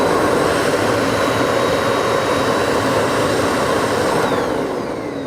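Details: Bosch GAS 35 M AFC wet/dry vacuum with adjustable suction power: steady, even motor whine with airflow rush, pitch shifting smoothly as suction is turned down, no rattles or bearing noise; normal running.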